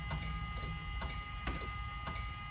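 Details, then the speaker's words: DeLorean DMC-12 barn find, 977 miles, off road about 18 years, cranking attempt with carb cleaner in intake: light sharp clicks about twice a second, engine never turns over; relay fine, suspected starter signal, dead relay or starter. "relay is perfect but I got no starter I hear the starter barely clicking"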